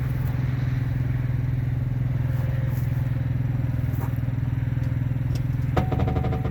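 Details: RV during auto-leveling: steady low pump drone with a few sharp pops and a quick clicking burst near the end as the jacks level the coach; popping noise during auto-leveling, cause unclear.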